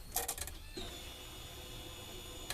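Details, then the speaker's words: 2016 derby car being rewired, with the main wire touched on: a few sharp relay clicks from the main relay, then a thin steady electric hum as the fuel pump primes for about two seconds, with little fuel in the tank. "the fuel pump kick. There's not much fuel in this. This thing kind of runs low."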